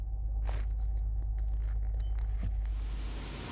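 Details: 2017 Nissan Altima after the oil pan and strainer were replaced to cure a whine on acceleration: a low, steady drivetrain hum with no rising tone as the car pulls away. Normal acceleration, no transmission whine.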